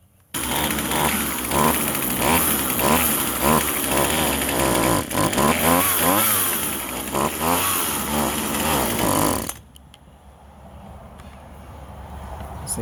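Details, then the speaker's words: Vintage Husqvarna 136 chainsaw, California emissions model, with a plugged muffler: pitch rises and falls but stumbles and never climbs cleanly to full revs; the engine is bogging. "yeah see how she's bogging"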